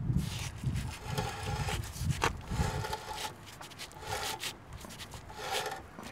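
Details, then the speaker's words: 2007 Mercedes ML350 4Matic rear, wheel removed, rotor turned by hand: rhythmic dry scraping about two strokes a second, not a wheel bearing but rusted drum interior rubbing the parking brake shoes. "that sound isn't the sound of a wheel bearing it's the sound of the rusted inside of the drum rubbing against the brake shoes"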